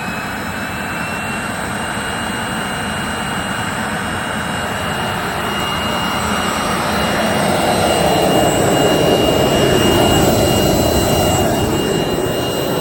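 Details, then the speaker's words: 3-phase 7.5 HP (5.5 kW) regenerative ring blower, a CNC vacuum pump, on a budget 10 HP VFD, after cleaning out debris: steady airy roar with a smooth hum swelling as it spins up, no rattle or grinding; runs normally. "oh actually that sounds a lot better now yeah I think we're good that is acceptable"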